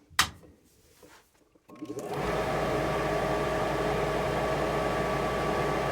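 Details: Rheem/Ruud gas forced-air furnace that had Error 57, with the original pressure switch refitted after sealing cracks in the inducer fan housing: quiet clicks, burners catch, steady blower hum holds evenly; normal light-off.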